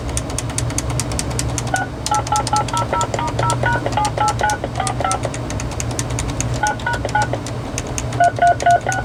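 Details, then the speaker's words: RadioShack 2554-style corded wall phone (category 43-842), tone dialing heard over speakerphone: tones come in short, uneven bursts with gaps where presses fail to register, over a low hum. Keypad sensitivity issue, mainly keys 3 and 6, somewhat 1. "We have a little bit of a sensitivity issue here. Yeah, we definitely have a sensitivity issue."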